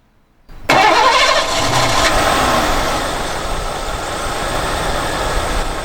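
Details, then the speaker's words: 1989 Lincoln Town Car after new AC lines, hoses, plugs, wires, fuel filter, radiator and alternator. A short crank, then it catches at once and settles into a strong, even idle. Normal engine start. "starts up very nicely it's normal powerful strong just as it should"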